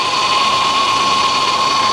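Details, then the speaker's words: Copart salvage car with 3800 engine at idle: steady high-pitched whine holding one pitch; power steering pump suspected, possibly a slow fluid leak that topping up might quiet; engine seen shaking slightly. "you may get lucky and uh you know may have a slow leak if you're lucky put a little bit of power steering fluid in her and uh she might quiet right down for a little while"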